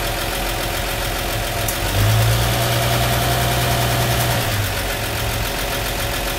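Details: 1953 Chevy truck six with factory draft tube, before PCV conversion, idling for a vacuum reading (20 of vacuum): steady, even low rumble with a regular beat and no knocks or misses; healthy.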